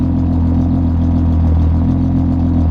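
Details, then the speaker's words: Car just brought home, new battery installed, cold start: deep, even idle hum with steady low pulse, no knocks or misses; engine running smoothly, in safe mode after dying. "All right, new battery's in. Let's get us a proper cold start. Here we go. Ugh. Please start. I have missed this sound for so long."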